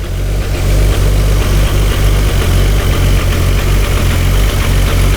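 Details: 1999 Nissan Skyline R34 GT-R, heavily modified with T88 big single turbo and modified engine internals, twin-plate clutch with Getrag gearbox: deep idle with chunky, loose chatter pulsing a few times a second, pedal out; twin-plate clutch rattle, owner unsure if normal or faulty.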